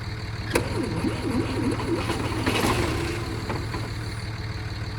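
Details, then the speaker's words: 1968 Kaiser Jeep M725 military ambulance, unrun for 15+ years, during fuel-delivery testing; the starter cranks the engine at a steady, fairly brisk rhythm but it never fires. Owner suspects the factory fuel pump does not work. "Yeah, that definitely should have done something there. So, I'm assuming that factory pump does not work, which is not a good thing."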